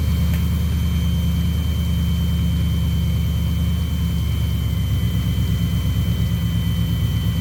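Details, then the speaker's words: 1990 or 1991 Chevy C1500 carbureted V8 at raised idle, vacuum gauge on manifold vacuum with a suspect line taped off; deep, steady burble with even beat, no misses, perfect vacuum reading and running decent, normal idle. "See right there, we're at perfect vacuum, right there. exactly where you want it. And it seems like it's running decent too."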